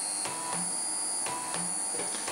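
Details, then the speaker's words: Stepper motors of a PCB drilling machine, powered and connected: thin, high steady whistle with short buzzy bursts as the axes step; the whistle is normal drive-current whine, nothing wrong. "alors le sifflement qu'on entend c'est normal c'est le courage"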